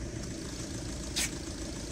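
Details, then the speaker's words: Audi TDI diesel idling right after replacing the intake manifold flap actuator/position sensor (fault P2015), before diagnostic scan: steady, even diesel clatter with one brief hiss, running smoothly; normal idle. "donc le véhicule est en train de tourner"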